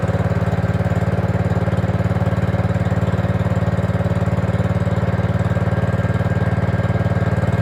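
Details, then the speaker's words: Gravely 5665 fitted with a China replacement carburetor (after a 15hp carb was tried), air cleaner on: steady low chug with a hunting throb at idle, only runs on choke; owner suspects air sucked past the loose throttle arm/shaft, making it lean. "oh plus side is it's running um downside is I can't get it to run without choke on and the only thing I can think of right now is as you can see there's definitely some play in that throttle arm which might be the reason it's might be sucking air in"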